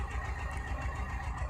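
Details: Renault Duster diesel idling with a steady low knock about eight times a second and an uneven beat after the high-pressure fuel pump repair. The cylinder 1 injector connector is unplugged (P0201 injector circuit open), and the idle is rough.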